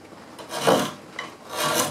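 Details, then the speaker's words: Small Stanley low-angle block plane on end grain: two short, rough rasping strokes, chattering instead of slicing cleanly; chatter signals a dull blade, or something loose or out of adjustment. "know if you can hear the chatter chatter is a sign of a dull blade something loose something out of adjustment"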